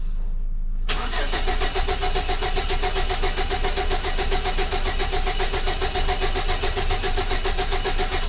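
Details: 2006 Chevy Silverado with distributor, plugs and wires already replaced: the starter turns the engine over with a steady rhythmic chug for several seconds but it never catches. The timing signal shows a 5 V square wave. Crank no start with no spark; a bad module is suspected.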